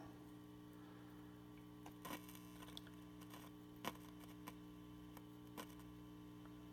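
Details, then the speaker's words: Zenith 5S119 antique radio, mic at speaker, testing replacement capacitor orientation: steady low mains hum with faint clicks; quieter buzzing with foil side one way, noisier when reversed. "Very little buzzing. So I suspect that this is the foil side. Now if I reverse it, yeah, I think that's the noisier side."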